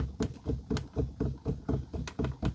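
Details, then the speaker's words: 17-year-old Newmar Mountain Aire motorhome on a 3,000+ mile road trip: dull low clunks about twice a second as the steering wheel is rocked. There is far more wheel play than normal and the RV shakes on the road; loose steering linkage suspected. "uh had way more play in the steering wheel than it should have"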